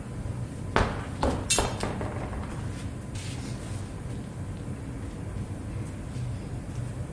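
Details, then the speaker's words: 2017 Honda Pilot wheel removed and spun: low hum with occasional sharp metallic clatters as the tire pressure sensor, apparently broken free inside the tire, rolls and hits the aluminum rim, mimicking a knobby-tire or gravel sound. "what I think I think the tire pressure sensor broke free on the inside and is actually rattling around and sometimes hitting the aluminum part of the rim well the aluminum rim under the right circumstances but really bizarre and what's happening is it's rolling so it kind of gives it that knobby Tire sound"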